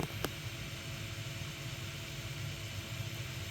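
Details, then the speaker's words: HP Media Center m8000 fired up with an Athlon CPU and no memory: steady fan whoosh spins up and holds, no beep codes, no display; dead motherboard suspected, later concluded dead. "No display, no beep codes. I think we might have ourselves a dead motherboard."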